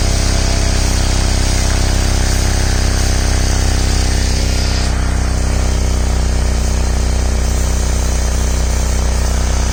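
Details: Ford/Lincoln at idle with a sharp, raspy puffing on every exhaust pulse, louder when cold, exhaust smell inside the car; owner reports an exhaust leak, dealer found no problem, calling it a normal condensate drain.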